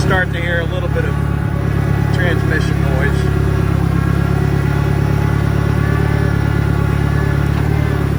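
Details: 1963 John Deere 1010 tractor, original and properly maintained, at 1,000 rpm in third gear on a backyard lap; low, steady drone with a mild gear hum, no knocks or grinding; normal transmission gear noise.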